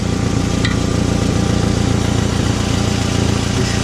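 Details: 2009 Nissan Altima on a lift, idling: sharp, raspy puffing about three pulses a second over the engine, louder or quieter as a pry bar moves the joint; exhaust manifold cracked, probably where it meets the cat, to be replaced.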